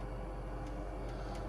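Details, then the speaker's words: Monitor GF 500 heater after the fix: it had been lighting then shutting down. Flame sensor cleaned, igniter taped where it arced, gasket replaced. Inducer fan on, pilot valve opens and flame lights, then a steady rumble and even blower hiss with no dropouts; normal burner operation. "the inducer fan just kicked on the pilot valve just opened we got flame it looks like it's happy with the"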